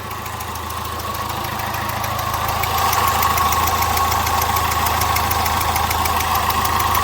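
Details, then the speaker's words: Citroën Nemo 1.4 HDi diesel at idle with failed injector seals: sharp regular chuffing tick about four per second from pressure blowback, with a burnt-gas smell. Combustion gas is leaking past the injector seals. "comme d'habitude sur les moteurs hdi des symptômes sont les mêmes le bruit le retour de pression que l'on entend ici"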